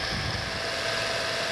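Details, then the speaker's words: Small centrifugal suction fan (blower) on a radio-controlled Aster Flying Scotsman live-steam loco while the wicks are lit, on a very cold day: steady whirring rush with a constant whine, no rattle or flutter; running smoothly. "There's the centrifugal fan whizzing away, drawing the air through the boiler."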